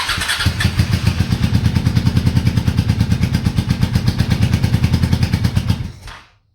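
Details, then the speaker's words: Honda Shadow V-twin motorcycle, parked 4 years, Seafoam treated, cold morning, on booster box: catches with steady chuffing for several seconds then fades and dies; hard starting and stalling, owner suspects fuel starvation from weak fuel pump. "Alright then. Just a little shot. This thing's like starving for fuel or something."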